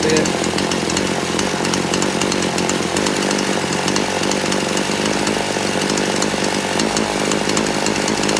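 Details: Poulan Pro chainsaw warmed up after low- and high-speed carburetor adjustment, final tune: steady high-pitched snarl at even speed without surging or dropouts; running cleanly.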